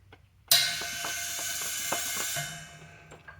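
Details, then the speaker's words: Quincy QT-54 shop air compressor fitted with 3-phase motor: tank auto drain periodically fires a sharp burst of hissing air fading over about two seconds with light ticking; normal timed purge. "The only thing remaining is I have an auto drain hooked up here, which I could leave plugged in all the time, but then it periodically just makes makes this sound."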